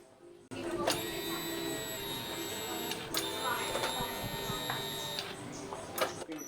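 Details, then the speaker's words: Honda Beat FI injection scooter, fuel pump tested outside the tank: high electric whine hums about four seconds at key-on then stops; fuel pump circuit normal. "saat kunci kontak on dia berbunyi ya Bunyi mendengung kemudian dia mati artinya untuk rangkaian full Pum dari juga masih normal"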